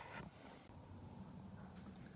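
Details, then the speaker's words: Wood burning pen with its tip glowing bright red, burning the inside of a hand-carved wooden box: a thin high whistle rises briefly, meaning the tip is too hot; too hot for detail work but fine here for dark burning. "So you hear it whistle? It means it's too hot."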